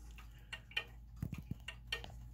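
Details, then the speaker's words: German time/strike clock, movement pretty much level: uneven tick-tock with pairs of ticks close together then a long gap; clock is out of beat, needing pendulum crutch adjustment. "the movements pretty much level here but the clocks still out of beat so this is what I wanted to show you today"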